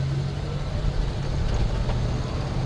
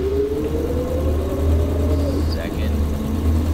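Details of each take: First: 1974 AMC Ambassador after a swap to a used Chrysler TorqueFlite automatic from another 1974 Ambassador, replacing the bad transmission, pulling through the gears with steady engine drone, no slipping, and firm shifts into third; normal shifting. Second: Automatic in an AMC Ambassador, pulling away from a stop light: shifts into second fine, but on the 2-3 upshift engine revs flare before it clunks into third; slipping, likely from being driven low on fluid due to a bad leak.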